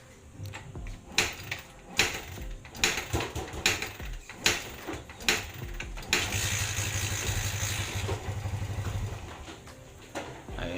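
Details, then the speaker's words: Kawasaki Barako 175 single, owner reports hard starting: repeated kicks catch briefly, then a few seconds of uneven idle that sags and dies. Noisy valves are suspected as a cause, with valve adjustment to be done. "Subukan muna nating panda rin kung talagang hard starting siya. Ayan, hanggang padyak na tayo. Ayun, namamatay"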